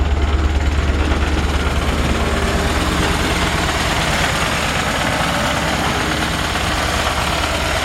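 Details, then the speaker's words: 1951 Ford F1 pickup, converted to 12 volt, at idle: steady low thump about three beats a second with faint buzzy rattle underneath; vibration from under the truck, source unclear, belt possibly a touch loose, no smoke, otherwise runs well. "It sounds like a vibration's coming out from underneath the truck a little bit."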